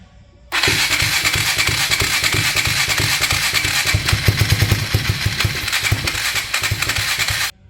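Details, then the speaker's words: 1999 Polaris Sportsman 335 on its first start after valve guide replacement, no gas tank fitted, running on starting fluid: starter churns with uneven sputters and half-catches that never run; owner says it dislikes too much fluid and isn't carburetting. "It doesn't seem to like too much starting fluid. It's not carbburating well."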